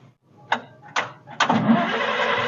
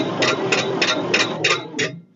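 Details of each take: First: 1946 International truck abandoned 50 years, after a new seat: a few cranking bursts with fire from the exhaust, then a steady, smooth run with no clatter, clanks or rod knock; shut off quickly because there is no radiator. Normal running. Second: 1946 International truck, sat 50 years, initial cranking with oil in cylinders during compression test; slow uneven weak strokes about three per second, one cylinder reading 25 versus others 60–80; low compression cylinder.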